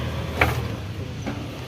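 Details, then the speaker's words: Nissan Sunny diesel engine, towed in, seized: crank turned by hand gives dull clunks a second apart, binding at one spot, scoring seen inside; suspected broken connecting rod bearing. "घुमा घुमा क्या की sound आ रहा भाई ऐसा लग रहा है कनेक्टिंग का बेरिंग साद फूट गया है"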